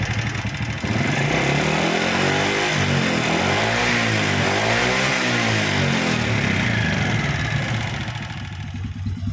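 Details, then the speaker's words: Honda Supra Fit motorcycle single-cylinder before repair, smoking: revving up and down with a ragged, uneven note and dry clatter underneath; piston scored from running short of oil. "The condition of this new Supra Fit motorbike is smoking and the engine sound is rough."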